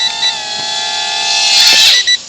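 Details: Temu XD1 Pro mini drone with solid-core brushed motors: thin, high, steady whistle over motor whine rises and sweeps briefly, then settles; recurring odd whistle in flight, cause unclear.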